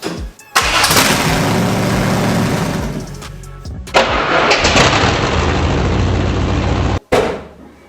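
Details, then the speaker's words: First-gen Chevy S10 with swapped 5.7 Vortec V8, first crank after finishing wiring: brief crank, then it catches at once and runs with a strong, even firing rumble; clean, healthy first start. "Heck yeah, thing fires right up. So we're pretty close. Things looking great."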